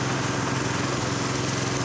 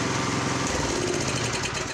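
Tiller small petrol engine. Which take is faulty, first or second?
first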